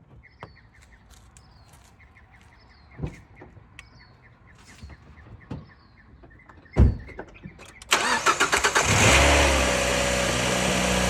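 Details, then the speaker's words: Engine cranks briefly and catches at once into a steady, even idle after a jump start with a portable jump starter using Boost mode; it had failed to start before boosting. Normal engine start. "and there we go gave it a little boost made sure it's connected properly and it started right up"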